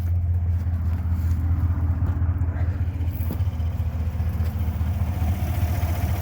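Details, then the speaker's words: 2014 Silverado V8 idling just after installing an AFE Silver Bullet throttle body spacer, with the intake clamps and PCV refitted. A deep, even rumble with a steady beat and no hissing or miss; normal idle. "all seems good here don't hear any hissing sounds or anything"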